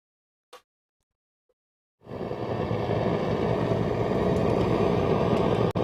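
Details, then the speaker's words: Radio receiver on long wave powered by a home-built stripboard power supply under test: steady low helicopter-like rumble with hiss once switched on; interference, source unclear, possibly the power supply, to be compared on another supply. "so you can hear that low level rumble can't you"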